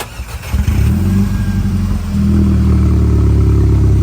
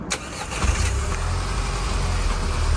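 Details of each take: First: 2010–2014 Volkswagen GTI exhaust leak at the sleeve clamp joining the downpipe to the muffler pipe; deep idle rumble turns loud and raspy as revs climb and fall; quieter at idle, loud and felt in the cabin under load. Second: 2010 Volkswagen GTI at idle after replacing the leaking exhaust sleeve clamp at the rear muffler: smooth, even idle with a deep, quiet exhaust and no leak heard.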